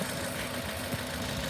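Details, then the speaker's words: Engine idling with an 8-channel scope on the four injectors and ignition, just before the crank sensor is slightly grounded: steady low hum with even rhythm, no knocks or misses; normal idle. "There's the thing's idling, and we're going to see what happens when the crank sensor just ever so slightly"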